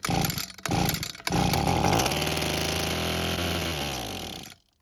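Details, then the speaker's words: Abandoned Echo string trimmer with missing purge bulb, manually primed with fuel: the two-stroke catches and buzzes high for a few seconds, then dies, same as before. Carb and fuel system blamed; the carb metering diaphragm was hardened. "But unfortunately, we got the same result as before, which was a few seconds of running and then it's stopping. That means the carb and the fuel system is most likely the problem"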